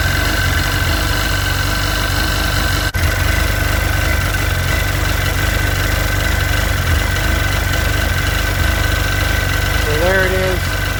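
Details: Sea-Doo 951 DI after custom rebuild, idling with air pressure at a steady 80 psi and fuel pressure fluctuating near the 107 psi target (regulator responding); smooth, even idle with a steady low drone, no misses or knocks; normal idle.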